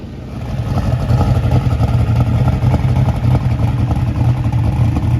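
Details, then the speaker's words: Small-block Chevy drag racing V8, a year old and run hard, with all spark plugs changed. Loud, uneven, lopey, stumbling idle, like a dead cylinder. Cause not confirmed. Rough running. "all right guys so uh this thing still making a little noise it's running rough sound like I had a dead hole"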